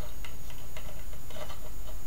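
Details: Homemade static-charge "lightning motor" powered by a 1.5 V battery: sharp irregular snapping ticks a few per second as the high-voltage spark gap jumps; silent when arcing inside instead, gap needs adjusting.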